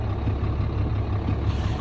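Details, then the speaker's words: 2010 Dodge Ram 3500 diesel at about 100,000 miles, idling after the connections were tightened with an 18 mm wrench. A steady, even low rumble with no hiss; the under-dash hissing noise is gone. "oh the noise is gone make sure everything is tight a couple times"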